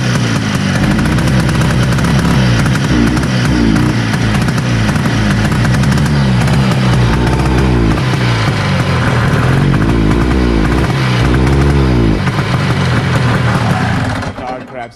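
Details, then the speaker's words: 1970 Herter's Husky 440cc Sachs twin two-stroke snowmobile, after swapping points wires between coils to test whether the fault follows: loud, ragged, surging rough running with uneven firing, ran poorly, choking didn't help; cause suspected, not confirmed. "try to switch it back now see if runs any better it ran piss poor there holy crap the wind rev up"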